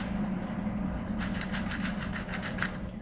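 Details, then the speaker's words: First-gen HomePod woofer, cone pushed by hand: about a dozen short scratchy rasps where it should be silent; the woofer is rubbing inside, possibly damaged via decayed ceramic filter capacitors, not confirmed. "if you listen when I actuate it it shouldn't uh it shouldn't sound like that"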